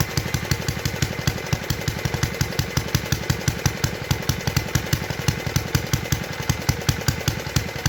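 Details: 1952 Clinton VS-700 single-cylinder push mower engine, revived after cleaning points, carburetor and a clogged fuel line, wheels and handle fitted; quick even putt-putt beat at steady speed with no misses, running cleanly at idle after tuning down.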